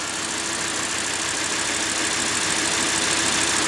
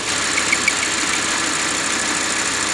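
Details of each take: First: Audi R8 V10 idling hot after retainer replacement, microphone held close to the engine: smooth, even hum with no squeak or ticking; noise previously appeared when warm. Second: Audi R8 V10, warm idle: light quick ticking/squeaking over busy hissy idle, suspected from crankshaft seal retainer rubbing due to crankshaft play, possibly crankshaft seizure; gone after retainer replacement.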